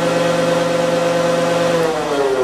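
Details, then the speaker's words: Woodworking shaper after repair, running with no cut and spindle reinstalled: smooth steady hum with a clean mid-pitched belt whine that sags a little as the motor eases off, no bearing growl. Normal running with belt whine. "oh yes much better that's better good smooth running now yeah now you just hear the belt whining and stuff"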